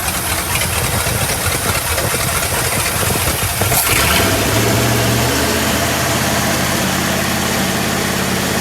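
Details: 1965 Chrysler Imperial LeBaron V8, abandoned over 20 years, first run with Edelbrock carb fitted: rough revving settles after about four seconds into a steady, even low idle with faint hum; normal idle.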